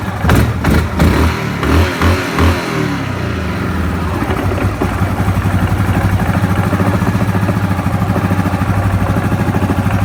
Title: Ямаха Гризли 700 стук со стороны вариатора